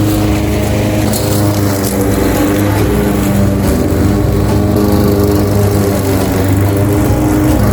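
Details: Craftsman 21-inch mower, Honda GCV160 5.5 hp engine, reportedly a non-starter found with a dry tank, cutting grass at level-two height: a strong, steady drone holding pitch under load, no surging or knocking. Healthy; technically nothing was wrong.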